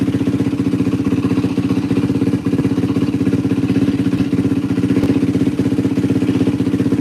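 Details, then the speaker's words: 2004 Yamaha WR450F single just started with a little choke after carburettor rebuild kit: steady, even thump about four beats a second, no misfires or knocks; runs solid, float adjustment possibly slightly off. Normal idle. "This thing's freaking running tits McGee right now. Yeah, this thing runs tits. Holy cow."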